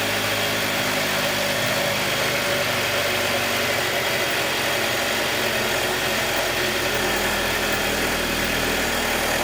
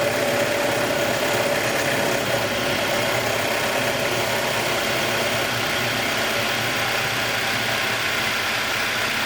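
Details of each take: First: 2021 Jeep Wrangler 2.0 petrol at cold idle: steady run with light, fast ticking that lasts about 90 seconds on every cold start until the cold air intake takes a deep breath and the engine settles to normal. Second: 2021 Jeep Wrangler 2.0 petrol engine after cold start, having finished a ticking phase of about 90 seconds: it settles into an even, steady idle with a soft intake hiss and no ticking.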